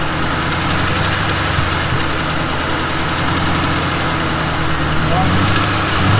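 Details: 2006 Ford Mustang GT held at raised rpm: fast, uneven top-end tick over a steady drone, unchanged after new timing chains, guides, tensioners, cam followers and high-volume standard-pressure oil pump; cause unconfirmed.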